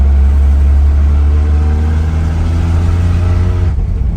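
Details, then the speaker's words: Datsun 280ZX driving on a back road after fitting remanufactured injectors (18 lb/hr at 36 psi) and calibrating. Steady drone with no misfires, where it previously ran very rough; the exhaust needs replacing and there is a slight stutter on throttle while the ECU adapts. "But it's night and day compared to where the how it was running. It was running very rough. I could tell misfires. Now feels like it's firing on all cylinders."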